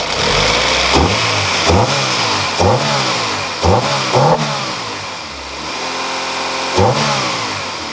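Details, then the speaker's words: Rebuilt B18C5 Type-R engine swapped into a 2000 Integra GS-R, first start after the rebuild, revved after a warm-up: crisp throttle blips rise and fall cleanly back to a smooth idle, about six revs in eight seconds. Sounds healthy. "you guys hear that action that's that four-banger action you guys I think sounds beautiful"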